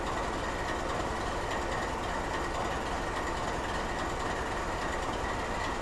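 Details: GE 7FDL16 locomotive diesel idling in skip fire mode: steady heavy rumble with a loose, uneven beat about once a second; normal operation.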